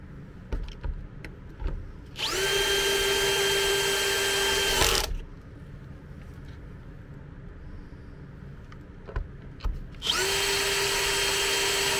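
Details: MET AIR T-100 anti-bedsore mattress compressor after repair: it would not switch on, the fuse was intact, and a loose internal contact was snapped back in place. Two spells of steady, even motor hum of constant pitch with hissing air flow: the compressor is running normally.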